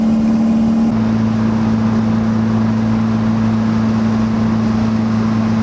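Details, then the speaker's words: 1991 Toyota MR2 turbo swap at highway cruise, about 3250 rpm at 65 mph: loud, steady booming drone with nothing muffling it; open downpipe with no proper exhaust. "and you guys can probably hear how ha this this chorus Rebbe while I'm driving on the interstate this thing is so loud I'm gonna have to get an exhaust"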